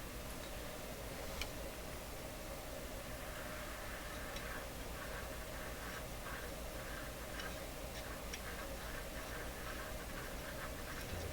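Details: Loewe Opta Type 5966 tube radio at initial power up, no speaker connected so sound comes from the output transformer: faint irregular ticking and crackle over quiet hum; suspected dirt in the tuning capacitor, not confirmed.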